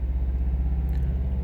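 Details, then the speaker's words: 2017-2018 Subaru WRX STI: deep pulsing drone under steady low engine rumble at one rpm spot, engine making lots of noise; owner suspects changed factory software and mentions flywheel weight affecting engine pulsations; cause unclear. "okay we've got a spot here where the cars sort of these engines making a lot of noise Wow there's something different here you guys something's different in the software"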